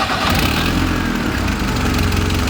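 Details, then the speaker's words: 1976 Fiat 124 with turbo and EFI conversion: engine starts right up and settles into steady even idle, slight turbo noise audible; clean, healthy start. "Started right up. Look at that. Wow. Let's see if we can hear some turbo noises here, guys. You can hear it a little bit."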